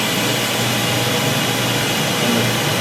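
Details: Steam sterilizer at the start of a cycle, with jacket pressure about 28: a steady, even rushing hiss with no rattles or surges as steam from the jacket fills the chamber, as it should.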